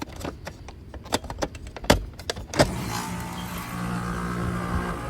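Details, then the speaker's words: Outdoor AC condenser unit starting up after a failed dual-run capacitor was replaced, on a cool morning; a few clicks, then a steady fan hum with the deeper grumble of the compressor, both running normally. "there we go you hear the two distinct noises one is the fan and then you can hear the little growl or Grumble of the compressor"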